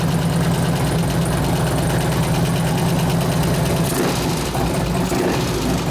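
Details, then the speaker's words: 2004 Harley FLHT Twin Cam 88 after cam and tensioner bearing repair, run in gear on the stand through the gears: a busy metallic rattle over the exhaust. Owner suspects valve rattle, not the cam, and hopes it calms down. "I couldn't hear it over the rattling the valve well hopefully the valve calms down because that's not the cam doing that"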